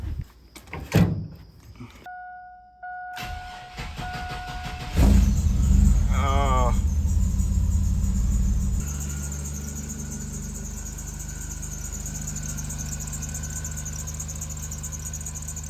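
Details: V6 after its alternator pulley was cleaned: chime, then the engine fires with a brief wavering high serpentine belt squeal before idle; the pulley fix failed, and the owner now suspects a bad idler bearing.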